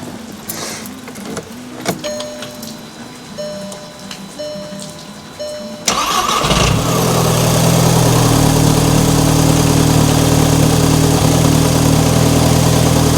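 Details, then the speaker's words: MK5 VW GTI Fahrenheit Edition, 220k miles, first start after replacing leaking oil filter housing and refilling oil: brief crank, catches at once, settles into smooth steady idle, no knocking, ticking or misfire; normal. "here we go first start up since Vietnam"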